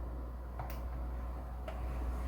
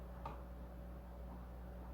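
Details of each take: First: FX-based desktop PC that stopped working after being moved, hard drive at power-on: sharp isolated clicks every second or two, drive no longer spinning; failing hard drive click of death, data unrecoverable, fixed by replacement drive and fresh Windows install. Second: Replacement hard drive spinning up in an AMD FX desktop whose original drive had failed: a quiet, steady low hum with one soft tick at the start, smooth and even, a healthy drive and much better than the failed one.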